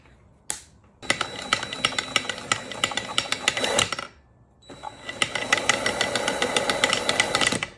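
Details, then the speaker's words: Stihl chainsaw, unrun for years and just freed from seizure, no spark: two bursts of fast, uneven clattering pulls with no firing; cranks but won't start. "The chainsaw is no longer seized. We don't have spark."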